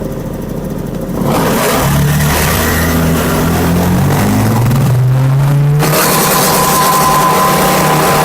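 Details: Honda Vario scooter idling at about 1400 rpm on a diagnostic scanner. At full throttle the revs climb, then sag back instead of holding: hesitation from a faulty throttle position sensor, which was later replaced.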